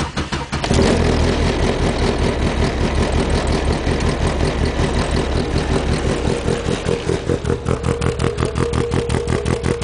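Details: 1992 VW Golf GTI 16V, 9A engine, ported/planed head, exhaust cam reground for intake, short-runner intake, G60 injectors, Digifant 1 with custom chip, cold start: lumpy loping idle about three beats a second; rough idle from aggressive cam.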